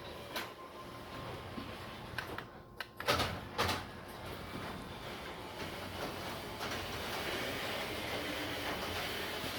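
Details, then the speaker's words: Garage door that keeps jamming, after stopping halfway going up the night before: faint rumbling run with sharp clacks near the start, likely rollers scraping or catching in the track, which likely need adjusting. "Getting jammed up again. Last night, going up, it stopped halfway. But it's dragging again."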